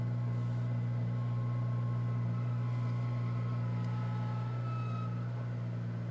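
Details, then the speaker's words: 2007 Honda Civic Si, 67,000+ miles, cold start, parked with e-brake on, idling with clutch released: coarse uneven rattle pulsing about four times a second under the hood; stops when clutch is pressed, continues when revved. "this is just a terrible noise every time i press the clutch down a little bit it'll stop just i've just pressed it down i'm not hearing the noise anymore"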